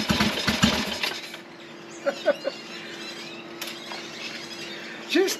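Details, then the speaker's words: Ironhead Sportster being restored, first start after revival: a few rough bursts as it catches, then a quiet, slow, low idle; engine starts and runs though it doesn't want to idle and idle needs raising. "i think i have to up the idle a bit she doesn't want to idle but ah so there you go guys it's working it started"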